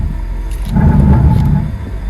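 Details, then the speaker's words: 2013 Hyundai i10 1.2 less than a mile into a drive; engine note climbs to a deep rumble then drops, revving freely without driving the car because the drive shaft popped out. Drive shaft disconnected, engine revs with no drive. "I know what the problem is. My drive shaft has popped out. I actually can't believe that."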